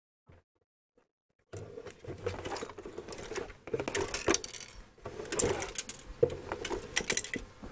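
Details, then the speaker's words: Non-working Denon DRR-M10 hi-fi cassette deck being tipped before opening: irregular light rattles and tinkles as something small is loose inside; cause unknown, checking for catastrophic internal damage. "so I'm going to whip it apart first just to um make sure there's nothing catastrophic inside it because I notice it rattles"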